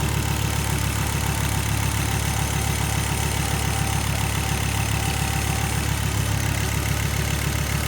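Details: Volvo 850R idling after a freshly cleaned and rebuilt PCV system, new OEM hose and bung, glove test showing good vacuum: smooth, steady idle with an even low thrum, no misses, ticks or surging; healthy.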